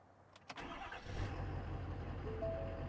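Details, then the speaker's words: 2018 Ford Powerstroke diesel after installing Fleece upper and lower fuel filters and cycling the key 7-8 times to prime: brief crank, catches within a second, settles to an even steady idle. Normal diesel start and idle. "So we'll let it here idle a little bit. Yeah. All right, so everything's good on her."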